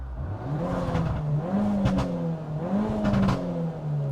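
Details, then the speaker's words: Peugeot 308 GTi fitted with new TTV Racing clutch and lightweight flywheel, just collected, three sharp free-revving blips: revs shoot up and drop back almost instantly like a bike; crisp, healthy engine. "Sounds like a whole different car, bro. It sounds like it's nearly like a bike revving fast."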